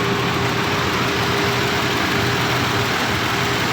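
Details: 1990 Nissan Safari that had cranked normally but would not start, now fixed: a steady, even idle with a faint constant hum and no misses, stumbles or knocks; it sounds healthy.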